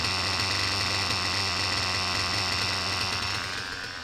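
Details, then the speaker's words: Reds R5 nitro RC engine, low-speed needle leaned and idle raised, run indoors with a 3/8 fuel injection line on the pipe: clean high buzz holding steady then easing off, no knocking or rattling; earlier "chipmunk" noise gone, normal running. "you guys hear that sickening noise from the last video because I sure don't"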